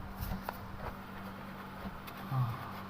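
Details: Fridge that had stopped cooling with its compressor not running, after repair with the faulty PTC relay identified: steady low hum under some handling clicks, frost already forming inside within 10 minutes; compressor running normally.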